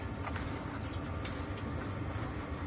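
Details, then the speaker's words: Webasto diesel heater newly installed: steady low rumble with an even roar and no knocks or surges after it calms into its reduced idle mode; its fuel pump is quieter than in the caravan; normal running in low mode. "il a déjà commencé à se calmer tu vois le chauffage là il s'est mis en mode il s'est mis en mode ralenti"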